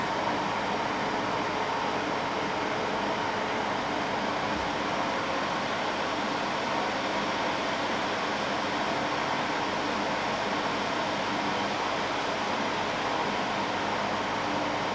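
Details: Dehumidifier warming up with auto swing working: steady even airflow hiss and soft fan whir, no rattles or scraping; running normally.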